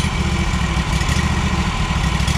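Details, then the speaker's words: Mower restarted warm just after being shut off, a fast, uneven puttering from the muffler at idle; the cause is unclear. "you can hear just by the muffler of course it's like a puttering [Applause] it's like a little puttering you know"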